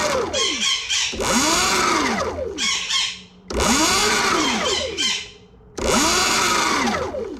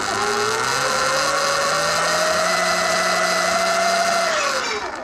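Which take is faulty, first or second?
second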